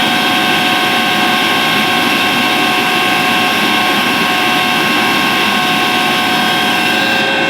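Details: Atlas Copco GX11FF rotary screw compressor makes a steady, piercing high-pitched whine over its loud airy rush, at start-up and while running; strange noise, cause unknown.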